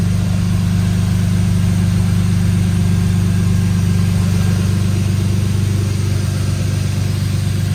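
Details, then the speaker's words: BMW E36 at full operating temperature, chasing a closed-loop misfire: a deep steady rumble with a faint slow rise and fall, so the idle still hunts slightly but far less and with no audible misfire; an ECU reset may be needed. "it is up to Temp right now and the Idol's hunting a lot less and it doesn't sound like it's misfiring which is freaking awesome"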